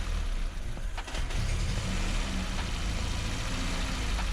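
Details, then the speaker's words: Peugeot 205 GTI restoration, ported and polished engine first fire-up; deep uneven idle rumble with a lumpy beat, stumbling rather than smooth; owner suspects distributor needs adjusting. "urprised as the engine does sound a little bit lumpy. Even though it's ported and polished, it should still sound smoother than this."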